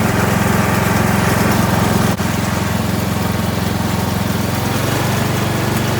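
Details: Kohler Courage 19 hp engine on an Ariens garden tractor after muffler repair (loose internal baffle fixed): steady, even low exhaust thump with no rattle or buzz; running smoothly.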